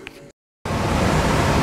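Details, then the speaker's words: HVAC system with no cooling and nothing running, after a clogged pipe was cleared: equipment back online, the blower comes on as a steady even rush of air with no rattles, pulsing or scraping, and refrigerant flows. "guys the equipment's back on line you can clearly hear the blower running I heard I heard the refrigerant flowing through the lines I can feel it so we're operational and everything should be good to go"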